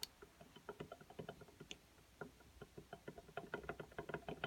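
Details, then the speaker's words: Irbis TTR250 motorcycle engine, disassembled to find an idle knock: quiet, uneven metallic clicks as the connecting rod is rocked by hand, showing crankshaft big-end play, stronger in some positions than others. The cylinder is also worn. "есть коленвал стучит. Не сильно, конечно, у него, но в некоторых положениях сильнее, в некоторых нет."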